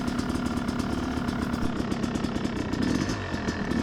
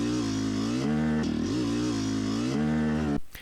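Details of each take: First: Yamaha YZ250X two-stroke with Panthera electric start, started dead cold on choke, after power valve fix: crisp, even crackle picking up cleanly under load with no bog or hesitation; power valve issue solved, engine pulls healthy. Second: Yamaha YZ250X two-stroke with Panthera electric start, riding: revs cleanly, then the note turns abruptly flat and rough coming down into the midrange; power valve slipping off its held-up state, later fixed.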